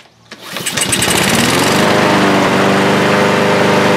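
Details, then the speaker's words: Lawnmower serviced a month ago and returned running poorly, with oil on the body from being tipped with the air filter down. It catches quickly and holds a steady, even full-speed drone with no surging: running normally. "so let me start it up here guys and you're going to see that it will run perfectly"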